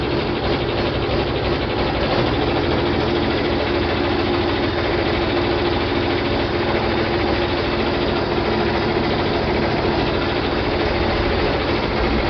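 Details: John Deere 4020 diesel tractor first started in park after clutch replacement and split reassembly: steady idle at about 1,000 rpm with a slightly rough edge, still a little smoky; oil pressure light out, normal idle.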